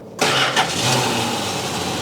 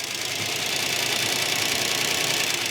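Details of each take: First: 1969 Plymouth Barracuda, revived after sitting 27 years, restarted after a run and coolant check with no leaks: cranks briefly, fires without touching the gas, and settles into a smooth, steady idle with a slight lifter tick, common on these engines. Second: 1969 Barracuda first running after 27 years sitting; fast, sharp top-end clatter over a thin idle despite oil pressure at gauge center; worn hydraulic lifters rattling the valve train.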